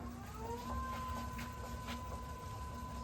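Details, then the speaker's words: Wood lathe spinning a black acacia bowl blank after rough turning: a smooth, even hum with a steady tone and no knock or wobble, so the blank turns true. "As you can see, turns nice and true."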